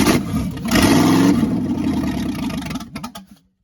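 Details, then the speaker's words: Freshly rebuilt small block V8, first solo rebuild, first start on engine run stand for break-in; cranks briefly, catches fast, revs smoothly with even note, winds down cleanly — sounds good, no knocking. "Good job, Bruce. It sounds good."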